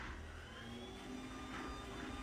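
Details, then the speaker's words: Garage door opener running after the door was lubricated: quiet, even motor drone with a soft steady hum and no squeaks, scrapes or clunks; the door travels smoothly. "now mine was already lubricated so it's pretty quiet and congratulations you're done"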